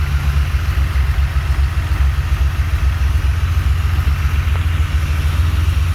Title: BC cams, 12:1 CR J35 6GA. normal rockers rough idle.